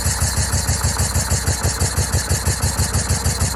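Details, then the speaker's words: 2004 Yamaha VMAX with 4,400 km, unstarted for over 15 years, first start attempt: lumpy, uneven chuffing with cylinders dropping out; misfire from one bad ignition coil and two bad spark plug leads, the coil later replaced along with mismatched plugs. "after the initial startup I checked the coils one was no good two of the spark plug leads were no good"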